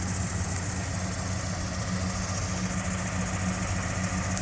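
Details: 1979 Jeep Cherokee Chief after a frame-off restoration, with a rebuilt AMC 360 V8 and Holley 2300 EFI. Steady, even low rumble with no misses, knocks or ticks; the engine idles smoothly and sounds healthy.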